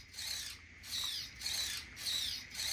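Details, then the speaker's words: Traxxas Bandit 1/10 scale RWD RC car, about four days after salt-water beach flooding, bench test: steering servo makes short high-pitched gritty whirring bursts as it sweeps full turn each way; servo strained and worn but working, replacement expected soon. "and as you can hear the servo is not happy but it's"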